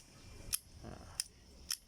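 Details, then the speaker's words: Shimano Scorpion Quickfire fishing reel: three crisp, sharp snaps about half a second apart with no grit or slop, the healthy clutch engaging; the reel also turns smoothly with no gear or bearing noise. "เสียงดีดเพาะมากเลยครับผมชอบมากเลยเสียงเาจะดีดเหมือนเหมือนนกปืนสับเลยนะครับ"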